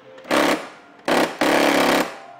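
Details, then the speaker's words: Mercedes-Benz S63 AMG W221 sunroof, operated from the open position: short rattling grinding bursts each time the switch is pressed while the roof doesn't move; faulty sunroof motor (one of two front motors), repaired by replacing it. "지금 열린 상태에서 어 썬루프 를 작동하면 드드득 드드득 소리만 나고 작동이 안될 제작 이에요"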